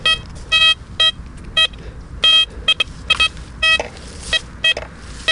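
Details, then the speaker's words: Blisstool v3 metal detector on a ploughed field, speaker audio with headphones unplugged, sweeping over iron while trying to make it sound non-ferrous: short repeated high beeps, each wide and broken, a ghosty iron response rather than a clean tone. "So can you hear that ghostiness to it? Even if I try to get a signal out, what's I'm going to nearly, but look how wide it is."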